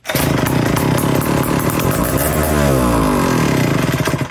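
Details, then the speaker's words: Sears chainsaw two-stroke engine before restoration, bar and chain removed, not connected to a fuel tank: a crisp, even buzz that climbs smoothly when revved and drops back cleanly; normal running. "That was pretty exciting, eh? She started up, she ran, she sounded pretty good. So we know we've got a working engine here to work with."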